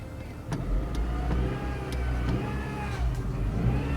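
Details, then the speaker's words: 2008 Honda Civic Hybrid CVT with transmission check engine light (P0717), in drive at 2,000 rpm, engine note climbing and wavering while the car barely creeps; worse when warm, the slipping CVT isn't transmitting power. "But look, see, I'm at 2,000 RPMs and it barely moves."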